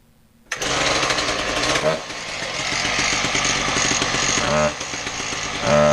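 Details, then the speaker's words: Husqvarna K770 two-stroke power cutter, previously bogging, test run after repair and reassembly: fires straight up, revs cleanly, drops back and picks up crisply with no bogging; runs normally. "well there you go it seems to run doesn't it"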